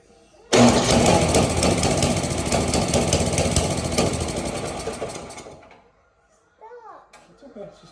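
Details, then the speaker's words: Snowblower with no-start, new spark plug fitted and makeshift key: engine catches, runs ragged about five seconds then stalls; suspected gelled fuel in the carburetor bowl, so the bowl is being pulled. "we're going to pull the bowl it's likely got some fuel in uh fuel jelling inside the bowl"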